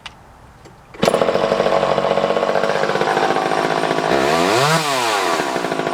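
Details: Vintage Craftsman 2.1A two-stroke chainsaw, no broken cases, damage or repairs: fires right up, holds a crisp buzzing idle, then revs up cleanly and drops back smoothly. Normal running.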